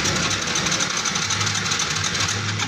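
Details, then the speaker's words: Carbureted motorcycle with spark confirmed (wiring, CDI and coil OK) and a new spark plug fitted. The electric starter whirs steadily but the engine never catches; it cranks without starting, though it ran earlier. The cause is not confirmed; the plug cap is checked next. "Ayaw yung umandar. So ayaw umandar ng motor ni boss mga katropa, pero may kuryente bago na spark plug niya."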